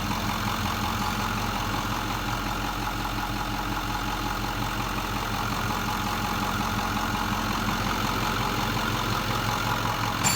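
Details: 2008 Ford 6.4 diesel idling with an uneven, lumpy pulse and a faint shudder underneath instead of a smooth beat: rough idle with vibration problems.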